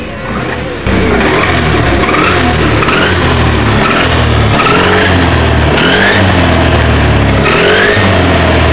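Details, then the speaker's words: Yamaha NMAX scooter running: loud steady note with high whine (nguing) from rear when riding or revving; teardown found worn final-drive gears in gearbox; fix is replacing the gearbox gear set. "Menurut saya ini penyebabnya di bagian gearbox-nya ya entah mengalami aus atau entah mengalami e apa namanya problem yang lain ya"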